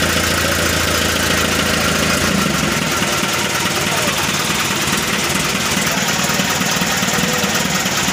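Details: Mitsubishi Colt Diesel FE 1981 truck, new direct-injection 100PS block (formerly indirect), just started after fuel bleeding: steady, even idle clatter, no misses or knocks, described as smooth; a slight hose leak found, fixed by tightening the hose clamp.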